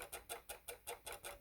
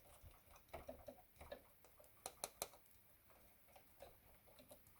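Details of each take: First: Casio CTK-3500 keyboard keys barely pressed: light, crisp plastic clicks about five a second, as each key presses against an internal button. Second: Casio CTK-3500 keyboard after fixing key clicking by putting tape over the button the keys contact: soft muffled key taps in a quiet room, with no sharp click as each key lands.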